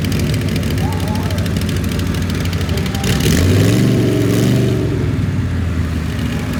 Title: misfire st johns az